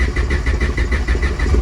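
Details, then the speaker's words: Honda EF Civic build started in neutral while bleeding the cooling system: even, quick idle pulse with steady low rumble, no misses or knocks; tach not working, engine sounds like it runs well. "Let her bleed. ACH does not seem to be working. So that's an issue. Sounds like it's running pretty good though."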